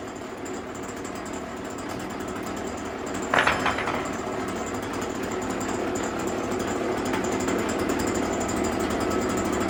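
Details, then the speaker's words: Stihl BG86 two-stroke blower after carburetor L, H and idle screw adjustment: steady high buzz holding speed and rising smoothly when revved, no longer dying or running rough. "To me, it sounds pretty good. Sounds good. It's not dying anymore, and it's not running rough"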